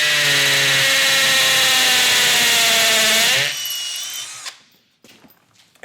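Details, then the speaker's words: Milwaukee M12 Fuel cordless hammer drill, masonry bit, high speed setting 2 with hammer mode, drilling concrete: steady high motor whine with fast hammering buzz as bit bites, then winds down; hammer action normal. "as you can hear, not only is that drill bit spinning, you could hear the concussive force being transmitted into the concrete and drilling that hole out."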